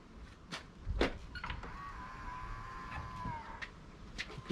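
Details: L405 Range Rover passenger door after jamming and new striker plate fitted: sharp clicks then about two seconds of electric motor whir; door lock actuator cycling, soft-close mechanism suspected.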